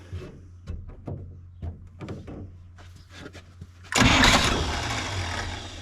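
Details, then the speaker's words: 1957 Chevy Sedan Delivery on a 4x4 Chevy truck frame, 454 big-block, SM465 transmission, first start after connecting the fuel line and pulling fuel from the tank: several seconds of cranking, then catches cleanly into a steady normal idle. "it's burning off some brake fluid that I spilled but it's pulling fuel from the tank the fuel filter looks pretty clean still so that's good I think it runs well enough that I'm going to move forward with putting the axles in and getting it driving"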